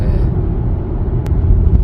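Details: Audi A6 (C8), new car, after premium noise-vibration insulation and BSR rattle work, on highway around 105–115 km/h: low, steady road rumble with one soft, damped thump over a bump; cabin quiet, creaks and rattles largely gone.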